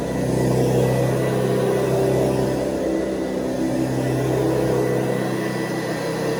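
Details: 1970s Hoover Convertible upright vacuum (the last model shown), running: a steady, fairly high-pitched motor hum, higher than the earlier model's low hum, smooth and even with no knocks or rattles; healthy fast-spinning motor, normal.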